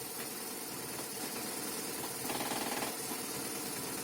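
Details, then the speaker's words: BMW R 1200 R, warm idle: faint irregular knock about four per second from gearbox, silent with clutch pulled, appearing intermittently with clutch released. "скрывать шум из коробки на прогретом выжимаем сцепление тишина отпустили тишина выжили отпустили появилась редко бросили появилась"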